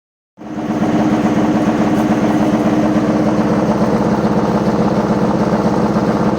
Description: Sounds like we have a load of bricks in.